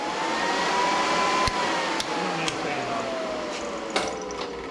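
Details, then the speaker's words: 440 engine on a run stand with temporary wiring: starter whirs up and winds down in falling pitch with a few clicks, never turning the engine; owner first suspected a weak 650 battery, problem was a poor engine ground. "still not fir no let need to check that battery make sure it's got enough ump"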